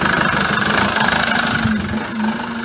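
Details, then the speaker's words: 2007 Peugeot Boxer diesel van, 45,000 miles, error code P2135: lumpy uneven idle with noticeable sag and pick-up in revs, hunting rather than settling; surging rough idle, cause not yet known. "obviously you can hear that it's definitely surging it's not running right"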